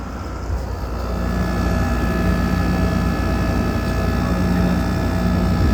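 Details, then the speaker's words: Grandmother's GE air conditioner running after its annual cleaning and seasonal startup, heard from outside the house. An even low hum with a steady tone on top, no rattles or knocks. The compressor runs normally. "Got this thing running, of course. And we also got the GE up there running."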